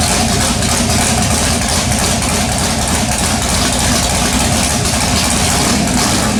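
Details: LS-swapped S10 pickup with MSD ignition, after cleaning carbon-fouled plugs and checking coil wiring: engine fires and settles into a steady, dense V8 idle with even rumble, no misfire or stumble.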